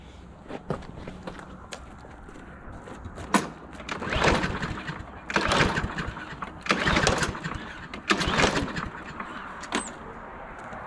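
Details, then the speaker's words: Husqvarna LC 221A push mower with Briggs and Stratton engine, sat over winter, fresh gas added: five or six rasping pull-cord yanks, never catches or fires; owner suspects gas dried up in the carburetor clogging it, fix is disassembly and carb cleaner. "'s that that gas has dried up in that carburetor and it's plugged up something and it feels just not getting to the engine now so I'm gonna go ahead and take it apart"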